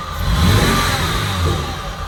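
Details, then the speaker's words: VW Mk1 Cabriolet with VR6 swap, after new battery and starter fixes: engine picks up smoothly and settles back, even steady note, no misses or knocks; runs strong. "but the engine runs pretty strong so that's where we're at right now"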